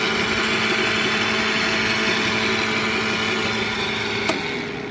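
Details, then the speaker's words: 1999 Dodge Ram 3500 flatbed, 5.9 L V8, 79,000 miles, no-start with apparently no spark. With the engine off, a module gives a steady electrical buzz and low hum whenever the battery or jump box is connected. "So it any any time that the battery is connected, that thing is uh making that sound."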